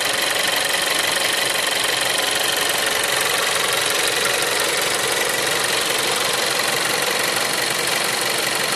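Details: Seat Leon 3 (5F) TSI 140 at idle: steady idle with a fast, even ticking rattle, about 200 a minute, over a loud hissy top end; abnormal noise, source not obvious.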